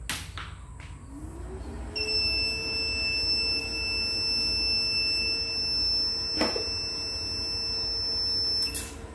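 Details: 1000W pure sine wave transformer inverter with charger on a single 12V battery: a rising hum, then a steady high-pitched beep for about seven seconds as it powers up; the inverter is starting normally.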